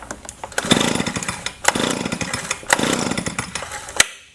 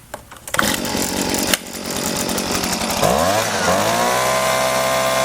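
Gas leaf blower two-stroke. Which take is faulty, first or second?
first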